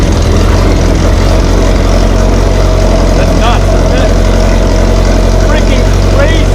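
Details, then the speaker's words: GM Ecotec four-cylinder swapped into a Baja Bug, first-ever start-up in neutral: deep, steady idle with smooth low rumble, no knocking; fired right up, only a slight burble just off idle. "and I'm pretty good a little a little bit of a burple right off idle but you know let's go back I can smell some stuff fired right up though"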